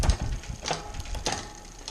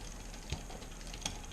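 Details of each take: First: Bicycle rear derailleur just after indexing with barrel-adjuster quarter turns: crisp single clicks as the chain shifts up and down the cassette, with no grinding or hesitation. Clean, correctly indexed shifting. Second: Bicycle rear derailleur being indexed, shift cable tension raised a quarter turn at a time with the adjuster: light metallic ticks over a soft spinning whir. Chain chatter from low cable tension, gone after another two quarter turns.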